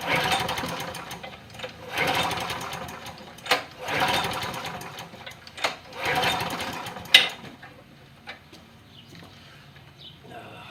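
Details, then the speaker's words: John Deere push mower with hard starting, after primer button replacement. Repeated short pull-start bursts sputter and die without holding a steady run. Owner suspects the carburetor needs cleaning. "Take a while to get gas in there. Carburetor may need a good cleaning. It always helps too."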